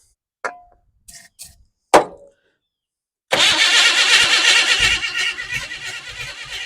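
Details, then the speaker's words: 1988 Chevy S10 Blazer, abandoned, start attempt after timing adjustment and slightly opened throttle: rough uneven cranking that tries to catch but won't fire; owner still adjusting timing. "I mean sounds like it wants to go let's just adjust this just a tick more here"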